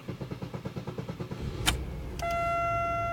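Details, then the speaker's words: 1999 Pontiac Grand Am after replacing a failing starter: steady cranking pulses about three per second, catches almost immediately and settles to even idle; normal start. "There we go. Seems like it went through a couple cycles there, but fired up pretty much immediately. Pretty happy with that."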